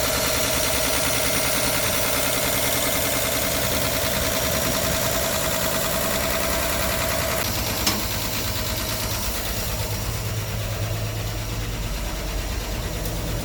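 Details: 1964 Olson Kurbside step van with a Ford 223 inline-six, first start after sitting 29 years, on fresh fuel with the choke held. It settles into a steady, even, smooth low idle with no knocks or misses; normal idle.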